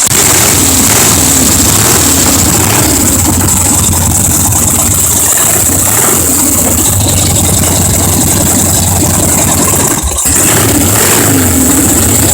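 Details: 1977 Harley Ironhead, fresh rebuild from scrap parts, first start-up fed from a remote IV tank with no fuel tank or seat fitted: a loud, lumpy V-twin beat rising and falling with throttle blips, then settling back to idle. Normal running.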